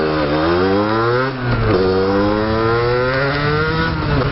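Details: Sherco 50 SM-R two-stroke started after top end removed from seized engine, still with the seized cylinder: crisp buzz revving up and down freely, no scraping or rattle, responds cleanly to throttle; normal running.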